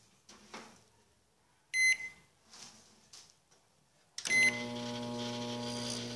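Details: Microwave oven that had stopped heating, after rust treatment, repainting and a new fuse fitted: short beep, then a steady, even buzzing hum as it starts heating; sounds like normal operation.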